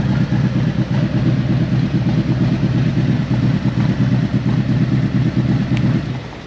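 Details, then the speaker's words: 2018 Harley-Davidson CVO Road Glide with aftermarket header, Bone Shaker exhaust and cam, used bike inspection: deep loping V-twin idle about 1000 rpm, no ticking or knocking; normal idle. "yeah mine it's idling at about a thousand rpms it's not a problem um i just wanted to see it settle down it sounds fine it sounds healthy no noise from the motor"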